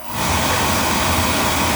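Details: Oil-fired boiler burner, about three years old, at a service visit with a zone calling for heat: a click as the oil valve opens, then the burner lights into a steady, even roar over a low hum; clean ignition and normal firing.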